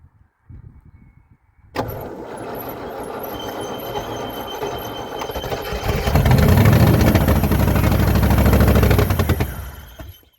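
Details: Range Rover Classic pickup V8, parked over 20 years, restarted on fuel with the throttle closed and a wire ready to pull if it over-revs. A couple of seconds of cranking, then a deep, even rumble that builds and holds; normal start.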